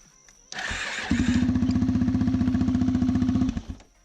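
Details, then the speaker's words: First start of a rebuilt big-bore Arctic Cat DVX400 (LTZ440) single, stock exhaust with power tip: brief starter whir then steady even thumping idle, no misses or knocks. "okay okay okay sounded good this is just a stock exhaust with a little power tip so it's gonna have a little deeper of a tone but it's pliant gonna sound very very good"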